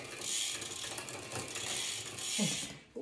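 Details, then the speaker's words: Bicycle rear wheel spun by hand with the rear raised after reinstalling the wheel, derailleur clutch back on, shifted to an easier gear: quick, crisp even clicking, no grinding or chain rub; freewheel sounds fine. "I usually, before I jump on the bike to pedal, I raise up the rear and I just take a few spins with it, make sure everything's working okay."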